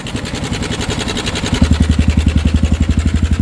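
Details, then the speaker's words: Suzuki Sniper 155 bored to 175cc, idling before repair: a steady single-cylinder thump with a loose, busy clatter on top. The stock cam chain tensioner spring is worn out, letting the chain rattle. "Ayan, tunog ano. Hindi ko alam kung anong problema mga boss, pero try natin palitan ng tensioner manual."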